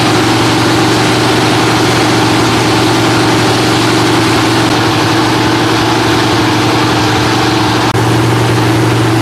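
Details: Freshly rebuilt Holden 308 V8 on a part chassis, first start: settles into a steady, even idle with a smooth deep burble and no knocks or misses.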